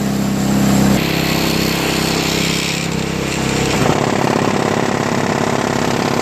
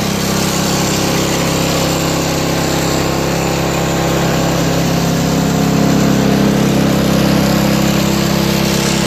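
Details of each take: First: Craftsman 5HP 22" single-stage snowblower with homemade floor-mat auger paddles: engine drone turns into fast rough scraping chatter, about three per second, as the new paddles rub the scraper bar; owner considers trimming them more. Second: Craftsman 5HP 22-inch single-stage four-cycle snowblower with electric start, fitted with homemade floor-mat auger paddles: small single-cylinder engine holds an even, fast beat with no misses or knocks; runs really well.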